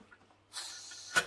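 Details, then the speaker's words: Pressure canner of tomatoes cooling down, weight/gauge lifted to check: short soft hiss of escaping steam means it is not down from pressure yet, so leave it a few more minutes before removing. "there is until a little bit of hissing going on in there so i'm going to leave that for a few more minutes and then i'll come back and i'll take it off"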